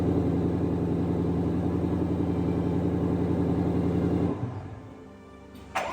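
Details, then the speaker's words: 2020-2022 Shelby GT500 V8, first start after a PCM replacement and code clearing for an intermittent misfire and power loss: a firm, even idle with a steady low beat for about four seconds, then shut off, sounding healthy. P0315 (crank variation not learned) is set afterward. "All right, moment of truth. Everything's uploaded. You're gonna try and start it. See if she'll start. It's alive!"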